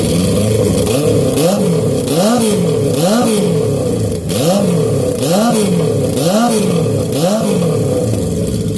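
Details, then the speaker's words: Honda CB750 pro-mod with a TD04H turbo, quick repeated revs: strong note climbing and dropping with clean pickup each time, no knocks or rattles; boost comes up instantly with throttle; sounds healthy. "Once the boost, not even once the boost, once you give it gas, the boost starts coming up instantly, and then the more you hold it, the more boost you get."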